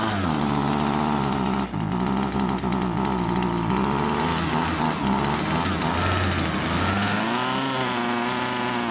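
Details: Husqvarna 136 chainsaw that came in as a no-start, after carburettor screws set about a quarter turn out: buzzy two-stroke note catches and holds, then climbs and drops cleanly with the throttle; runs evenly and healthy.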